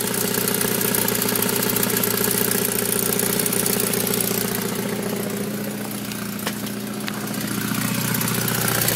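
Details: Saab 9000 Aero engine at idle: steady light ticking at about three to four per second over a smooth idle; source of the tick unknown.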